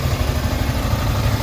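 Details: Yamaha Sniper 155 after water pump repair kit replacement and coolant refill: even low single-cylinder putter at idle with no whistle or squeal over it; the earlier water pump whistle is gone, idle clean and healthy.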